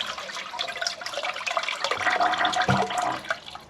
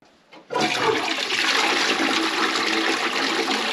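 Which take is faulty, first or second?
second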